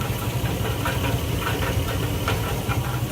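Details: 2004 GMC Sierra 1500 V8, truck sat over a year, at idle: sharp, uneven knocks roughly every half second, rod-knock-like; oil pan removed and bottom end clean, owner suspects the catalytic converter.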